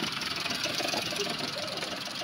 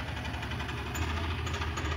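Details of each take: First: Maruti Suzuki Alto 800 commercial after an engine rebuild for a bad internal noise suspected to be the connecting rod, blamed on late oil changes, fitted with an original oil filter; the check light is on. Steady, even idle with a light hiss, no knock. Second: Maruti Suzuki Alto 800 commercial, low rhythmic knocking under a rough idle keeping time with engine speed; opened sump showed worn, cut connecting rod bearings, blamed on oil never being changed on time.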